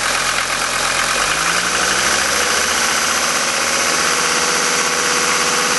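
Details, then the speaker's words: Old 5-cylinder Mercedes diesel after all five injector nozzles were replaced: a completely cold start at 51°F after sitting overnight, glow plugs cycled twice. It settles into an even, smooth idle with no pinging, hammering or detonation. "notice how smooth the engine is this is just an example of what happens when you've got nozzles such as this one that is absolutely worn out"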